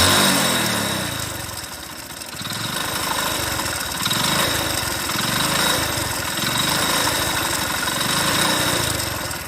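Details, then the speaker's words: Second motorcycle, compared with a healthy one, revved: an uneven, rough beat rising and falling with throttle under a harsh clatter; the mechanic says the engine is totally failed, with all internal parts worn out. "Second డబ్బాలో అయితే engine అయితే పోయింది. Sound అయితే వినండి. Total engine ఖరాబ్ అయిపోయింది అనమాట. Total engine సామాన్ మొత్తం పోయిందనమాట."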